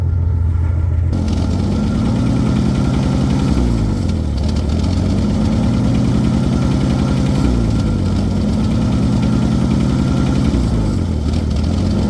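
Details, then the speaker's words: 1966 Ford F100 engine, sitting a couple of years, now running on new points, condenser, plugs, wires, cap and rotor: idle lopes unevenly with a repeating stumble over deep exhaust rumble; one cylinder allegedly down on compression, untested. "Sounds like it has a bad cylinder."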